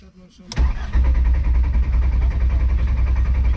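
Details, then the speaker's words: VR5 Savoy after a fuel pump swap: the starter cranks at an even, healthy rate with good compression, but it never fires; crank no-start traced to a blown fuel pump fuse. "the car cranks no problem it has good compression it sounds like i only assume it has to be the fuel pump"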